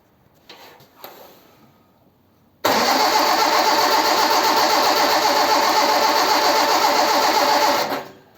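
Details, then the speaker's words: Ford 100E, won't restart after stalling though spark present; even starter cranking about four turns a second for five seconds, never firing: no start from fuel pump failure. "I'm not sure what the problem is I was trying to mend one thing and something else has gone wrong"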